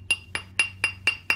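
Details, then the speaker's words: Crystalline pottery piece heated at the joint with a torch, then tapped: six sharp taps of about four a second, each high-pitched ringing tone turning duller as a crack spreads through the joint. "And you can often tell when you're tapping, you can hear that tone start to change, and that tone means there's a crack that's spreading."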